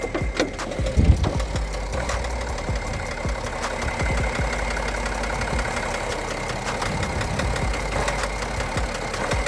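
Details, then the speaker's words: BMW E92 330d at auction inspection, whole car shaking randomly, smoking and burning oil; uneven, stumbling idle with random sharp knocks breaking through the clatter and no steady rhythm; rough idle with knocking. "oh what was that it's stumbling a lot um it's see you probably can't i guess you can't feel it but the whole car is shaking and it's not a consistent shake it's it's so random"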